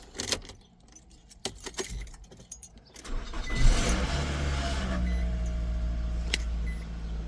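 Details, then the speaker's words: 2011 Nissan Rogue 2.5 after replacing a noisy starter with junkyard bolts: keys rattle, short crank, then clean catch into smooth even idle; no-start fixed, normal start and idle. "And we got the vehicle running just like so."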